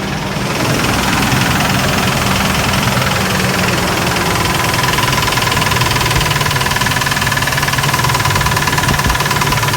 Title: Lifters or rod knock ??